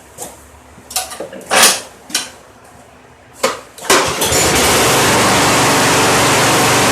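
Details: Craftsman mower model 917.388113 that previously wouldn't stay running from a fuel problem, after cleaning a carburetor blockage: after some clatter it starts right up and settles into a steady, even buzz with no misses.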